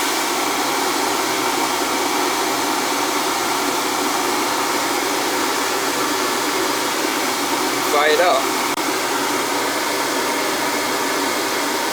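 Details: NTI boiler with a Riello burner that would not fire, carbon on the head: once lit, an even, steady blower and flame roar with no puffing, rumble or surging. The burner is running cleanly.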